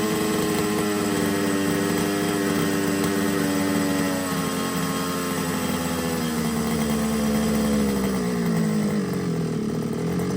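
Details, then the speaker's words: RC job-lot Losi 5ive-T small two-stroke: high, buzzy idle whose pitch sags and recovers over several seconds, hunting, with the idle set too high; owner suspects the carb needs removing and cleaning. "but if you if you listen to it when it was on tick over the tick over was a little bit too hard so turn that down but you could hear it hunting at the was climbing then dropping so I think the carbs going to have to come off"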